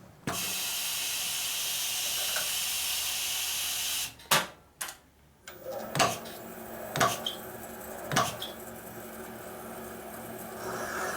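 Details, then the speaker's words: Cylinder head valve seat being cut: smooth cutting hiss at first (cutting inside the port throat), then sharp chattering catches about a second apart as the cutter hits pitting in the seat. "Hear that? It was cutting Pitting. good, then it started chattering. Because the pitting."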